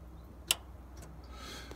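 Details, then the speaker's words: Machine with the key on and parking brake switch off, shifting between forward and reverse: a sharp click, then a fainter click and a brief hiss as the reverse solenoid energises; the solenoid's valve section is suspected. "you should be able to hear the solenoids clicking or the um yeah solenoids i suppose and so this is going into reverse sounds energetic and happy and that's forward and it's less energetic and less happy i suppose"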